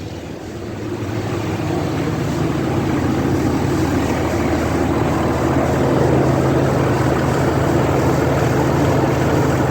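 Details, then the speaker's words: 2003 Dodge Ram 3500 dually diesel idling after refilling coolant and oil with an oil change: steady, even clatter at unchanging idle, no knocks, ticks or squeals, nothing leaking; normal idle. "I don't see anything leaking, no funny noises. Beautiful."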